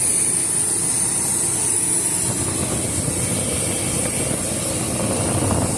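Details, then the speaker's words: 1994 Chevrolet V8 with an intermittent misfire, air cleaner removed, idling with an uneven stumbling beat and dropped firing. Spark plug wires lying against the exhaust are arcing; the fix is replacing the plug wires. "As you can see, we have spark plug wires laying against exhaust here and there. And we have sparks. So, it's a simple matter of changing out some spark plug wires."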